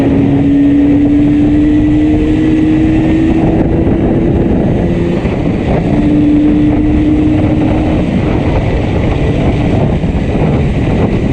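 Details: Yamaha RD350 ridden home: uneven, ragged engine note under way with steady drone and road noise; one cylinder heavily misfiring.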